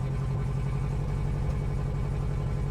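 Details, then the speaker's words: 1994 Honda Accord turbo engine with ring land problem, burning oil: lumpy uneven idle, low thrum stumbling every few beats, missing on a cylinder; owner suspects exhaust leak near turbo manifold; engine to be rebuilt or replaced. "all righty so now I'm going to start up the car to let you hear what it sounds like it sounds pretty bad to be honest but that's because you know it's missing on a cylinder blah"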